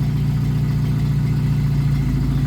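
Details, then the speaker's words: 1991 Jeep Wrangler YJ 2.5L four-cylinder, Flowmaster Super 44 with tailpipe out the back, exhaust sealant added at leak: even low idle rumble, steady pulse, no puffing or ticking; much quieter, sealed. "that's that stuff really worked that's awesome dude that's so much quieter with it going out the back than when we started it with it just like kind of hanging on there it was pretty loud"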